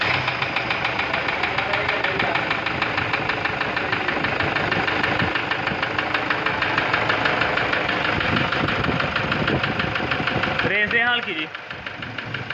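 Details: Toyota Revo 1KD diesel at idle: sharp, regular ticking knock about three per second over steady idle; engine knocking, cause not yet pinned down.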